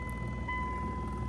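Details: Second-gen Dodge truck heater blower after blower motor resistor replacement; fan that previously worked on only one setting runs with a smooth steady hum and thin constant whine, no rattles or surging; blower working normally.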